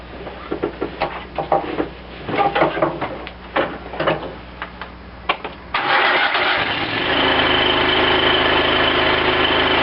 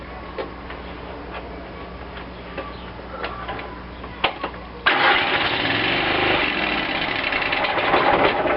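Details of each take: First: Cub Cadet lawn tractor after carburetor rebuild, fuel shutoff now opened and extra gas shot given so the fuel pump fills the float bowl: engine catches first try and settles into a steady, even run; normal start and idle. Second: Cub Cadet lawn tractor after carburetor rebuild, primed with shots of gas: weak, sputtering cranking for several seconds before it finally catches and runs; hard starting from fuel starvation because the new manual fuel shutoff was left closed.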